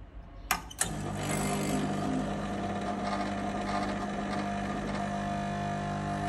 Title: Lelit Mara x - strange noise